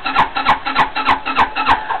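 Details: 260cc scooter with newly installed carburetor: starter turns it over in steady pulses, about three a second, but engine never catches; owner suspects fuel delivery, may change fuel pump. Crank no start.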